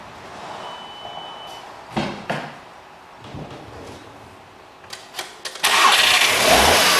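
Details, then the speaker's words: SEAT Ibiza after engine refit, cold start with a bit of throttle: a few clunks, then catches and settles into an even cold idle with no knocks or misfires; runs fine. "So I'm just going to start this now from cold and let's see how we get on. Need a bit of throttle."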